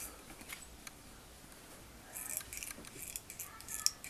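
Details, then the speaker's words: Door handle worked back and forth in a quiet room: short thin squeaks and light clicks before lubrication with sunflower oil from a syringe, which removed the squeak. "выбирайте скрипы слышите особенно вот очень большие скрипы и правило очень раздражает бывает некоторых"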